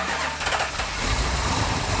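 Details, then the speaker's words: Restored 1967 Plymouth GTX 440 Super Commando V8, first start by remote starter with the transmission in neutral: catches straight away into a lumpy, loud idle with a choppy cam rhythm. A normal first start. "hey no way no way can't be that easy right no wow wow that started right up nice"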